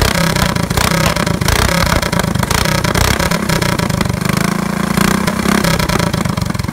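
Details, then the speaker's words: Predator 212cc 6.5 hp go-kart engine after intake, exhaust and carburetor jet upgrades, started easily, on a jack stand with one wheel spinning free: loud raspy single-cylinder roar holding high revs, no misfire or stumble, healthy running. "all right guys she started right up if you can hear me um it's getting late it's really eff and loud and I love it"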